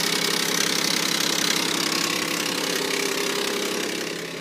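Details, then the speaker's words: 2003 Mitsubishi Eclipse GTS cold start: sharp fast metallic rattle, about four ticks a second over cold idle, seemingly from inside near the timing cover/belt area; owner unsure of cause, reportedly fades once warm and quieter on repeated restarts. "This video is here to show the cold start and the sound it makes when it starts up in the cold. As you can see, there's just no on the ground. Sounds like it's coming from inside. Sounds terrible, like a timing cover."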